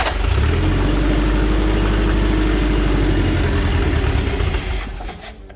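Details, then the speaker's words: Toyota Corolla KE25 carbureted engine, timing suspected off; catches into fast busy idle with rapid pulse then dies; idle too high, carburetor leaking fuel. "idle is pretty high which is also strange um it's also pissing out pissing out fuel from the carbi that's a great sign"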